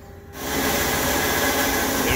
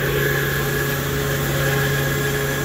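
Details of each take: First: AAON unit's Baldor fan motor, compared to an identical normal unit. Steady rushing roar with a gritty, scratchy edge; worn motor bearing. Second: Baldor fan motor on an AAON unit, the normal-sounding comparison unit: smooth, even drone with a clean tone and no bearing howl, grinding or roughness; motor running healthy.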